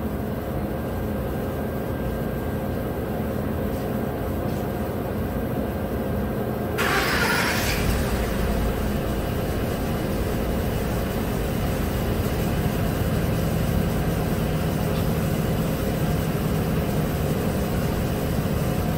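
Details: 2011 Ford F150 5.0L V8 with flashing MIL and torque converter clutch codes: cranks, catches and settles into an uneven loping idle; cylinder eight misfire, with injector faults active.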